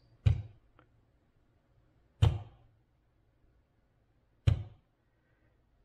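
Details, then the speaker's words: 2000 Acura 3.2 TL, hot day at idle at a red light: deep single thumps every two seconds or so, like foot stomping. Owner suspects unburned fuel igniting in the exhaust; later P0303 cylinder 3 and P1399 misfire codes, with ignition coils replaced. "at idle speed and I'm thinking what is that is there someone in the back seat stomping their foot I knew it wasn't but that's what it sounded like and then I thought about it and I thought you know this sounds like unburned fuel that's not sparking in the cylinder"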